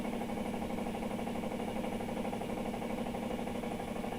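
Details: Electrolux LTR15 washing machine during spin: steady mechanical clatter about twice a second over humming drive; abnormal noise, source not identified.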